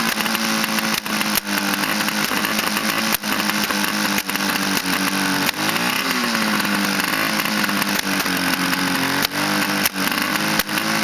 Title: Backfiring problem